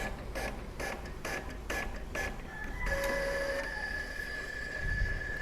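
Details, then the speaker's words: Epson L3110 printer after its flex cable was replaced, printing a one-page test: regular carriage strokes, then a steady feed whir with no grinding or clunks. It prints normally with no error. "print printer sudah berhasil melakukan print"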